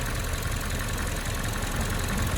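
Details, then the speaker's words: Toyota RAV4 idling while parked with Auto Hold on: deep, uneven thudding knock under a rough, shaking idle, engine vibration frequency changed causing strong whole-car resonance, much louder than before; new fault, cause not yet found. "对，很明显的敲击声，而且这个震动起来这个频率不一样，跟之前发动机生病了应该是。"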